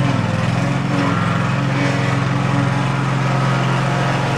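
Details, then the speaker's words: Field-find riding lawn mower on its first drive test, before its oil change, throttle all the way up: steady, even single-cylinder drone at constant speed under load, no misses or knocks; healthy. "yep success excellent looks like it rips around pretty good"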